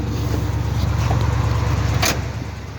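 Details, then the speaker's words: 1988 Oldsmobile Cutlass with about 45,506 miles, just after start-up: low, smooth, even hum with no knocks or ticks, running like a sewing machine; normal idle. "rather like a sewing machine 44,000 miles"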